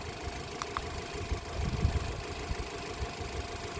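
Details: 2024 Mitsubishi Xpander GLS after a battery-caused no-start, idling while the battery is tested: quiet steady low hum, no knocks or misses, speed even; idling normally.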